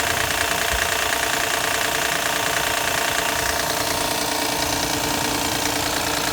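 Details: Engine after being parked overnight in cold weather makes a quick regular knock, about three a second, over the cold idle at startup; noise goes away once warmed up; cause unknown.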